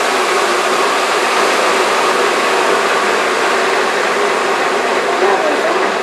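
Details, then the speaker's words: Restored J44 turbojet, accessory drive reinstalled, motored at full starter power for the first time in over two years: steady even rush of air spinning up, no knocks or scraping; a known slight bearing rattle aside, normal starter motoring. "it sounded pretty good on the uh motoring test so i'm pretty satisfied with that"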